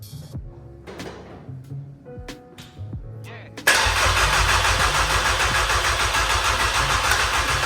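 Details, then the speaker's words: VW Passat B4 just swapped to a 2.0 AGG engine, no coolant or power steering fluid, half the exhaust missing, immobilizer box loose on dash: starter cranks steadily about three turns a second but never catches; crank no start, cause unknown. "crap it doesn't start and I don't know why I'm sure that we will find that issue"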